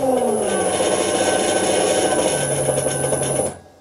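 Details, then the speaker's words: Century-old bench lathe driven through a VFD with the default torque compensation setting, running at 20 Hz: rough, rasping run with a high whine and wavering hum, then it cuts out on error 6 (overcurrent). At 50 Hz (~500 rpm) it keeps running. "age press reset it runs for a while and then it kicks out with error 6 again that's at 20 Hertz strangely enough if you run the lathe faster, at 50 Hertz it keeps running"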